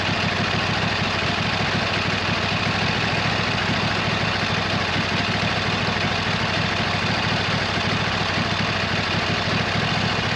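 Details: 26 HP Kohler V-twin on a lawn tractor, idling just after fitting new OEM Kohler ignition coils to cure an intermittent one-cylinder misfire; steady, even low thump with no misfire or stumble; not perfect yet but much improved.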